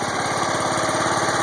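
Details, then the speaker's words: John Deere 140 hydro lawn tractor, single-cylinder engine warm after 15 minutes idling, in neutral, after freeing the pressed-down hydro check valves to cure creep: steady even idle, quick regular firing pulses, no knocks or rattles; normal. "No funny noises. That's always a good thing."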